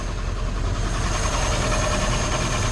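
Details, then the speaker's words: 1947 Ford truck flathead engine, sat 5 or 6 years, after fixing a big vacuum leak: vacuum gauge now where it should be, smooth low even idle rumble with steady beat; normal idle. "Nothing sounds like a flathead. These things just sound so good."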